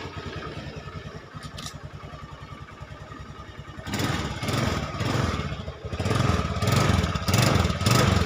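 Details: Honda Scoopy carburetted automatic scooter whose starter only clicked: after a few seconds of cranking it catches and settles into an even, regular idle; starter and engine sound healthy.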